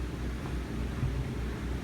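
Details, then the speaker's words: 3700 W RV generator running a Coleman Mach 15 15,000 BTU air conditioner with a Supco SPP6 hard start capacitor, fan turned on before the compressor: steady, even low drone, no hunting or stumbling; generator holds speed normally under the AC load. "the generator the crappy 3700 watt B Bali generator um it's running it it's running the AC um of course the fan has to be turned on first"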